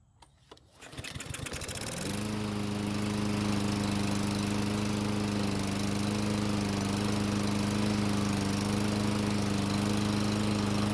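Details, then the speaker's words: Murray mower that won't start unless gasoline is put in the carburetor throat; cold engine catches about two seconds in and runs steadily after priming; possible auto-choke issue, clogged carburetor main jet. "so that was really strange it started in ran after putting fuel into the car's throat but i couldn't get it to start on its own"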